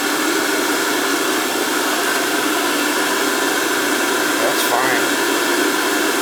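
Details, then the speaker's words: Oil-fired NTI boiler with Riello burner that fires then shuts off, terminals 5 and 6 jumped so only the motor runs to check oil flow: steady even hiss with constant motor hum, no knocks or surging; motor and pump healthy. "this power's off and jump up five and six just to get it to run when it calls just the motor will run"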